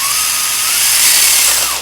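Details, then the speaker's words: Axial Capra RC crawler after fixing the dig end point: steady high-pitched gear whir with gently falling tone, no clicking or skipping; with dig engaged the drivetrain now runs quietly and sounds normal. "this one will drive dig on it's not noisy anymore right no more noise i think this one is okay"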